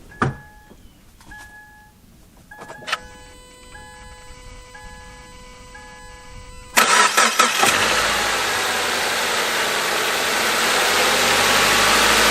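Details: Subaru/Toyota/Scion FB20/FA20 boxer after head gasket replacement; door chimes, short crank, prompt fire and one flare, then steady even idle; some smoke clearing, no check engine light; normal start.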